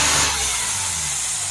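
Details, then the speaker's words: Mercedes E350 V6 CDI with high DPF soot readings, revved: loud steady rushing hiss rising with revs, boost air leaking from intake hose area, deflecting spray, oil visible nearby; exact leak point not yet found. "There's a massive leak here somewhere. So you can hear a massive air gushing out of here, and when you spray the spray you can see it's been deflected away."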